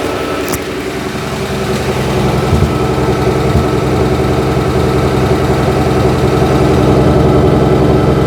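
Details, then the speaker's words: 1963 Ford F100 idling after the carburetor was put back together, cold and smoking blue: a steady, even idle, about 160 pulses a minute, with an odd faint pop. It runs fairly smooth, the nicest it has ever sounded. "Still has a little bit of a pop here and there, but that's the nicest it's ever sounded."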